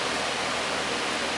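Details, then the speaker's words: Old beat-up shop heater fan salvaged from the dump, running with a steady air whoosh and hum; the hub wobbles out of balance, and the noise is suspected to come from inside the motor. "wow he's shaking a little bit you can see that Hub isn't quite uh isn't quite balanced"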